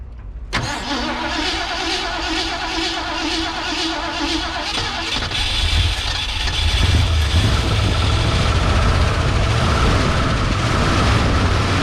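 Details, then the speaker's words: Abandoned 1971/1972 Ford Mustang V8 found at a wrecker's after sitting for years, started on booster pack and fuel down the carb: starter churns briefly, catches and settles into a deep, even idle with no knocks or misses; normal start and idle. "sounds good it does sound good here she [Music] comes just going to sit there and idle now"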